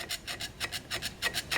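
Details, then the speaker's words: Early 1982-1987 pre-auxiliary 27-spline 700R4 transmission teardown, seven-vane pump: quick gritty rasping strokes, about six or seven a second, dragging over the scored pump face; pump is torn up and would lose line pressure. "yep so definitely pump is torn up"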